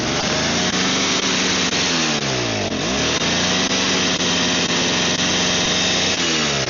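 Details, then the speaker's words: Snow blower that only runs with the primer bulb, idle screws vibrating loose, carb suspected: engine runs hard, speed sagging and recovering every few seconds, smoking heavily; choke possibly partially on throughout, then it ran out of fuel. "So, I mean, it smokes a lot, but I think the choke might have partially been on that entire time, so that might have been it."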